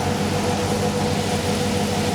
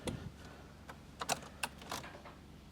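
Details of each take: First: LTx-swapped Trans Am with 6L80E transmission idling hotter than 196°F coolant: steady rushing airflow over smooth, even idle as radiator fans switch to high speed; upper-hose sensor working within a couple degrees, normal. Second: Pontiac Trans Am with LTx swap and 6L80E, untuned, cold day: clicks, then it catches, stumbles, revs up and holds after several cranks. Hard cold start from insufficient startup fuel.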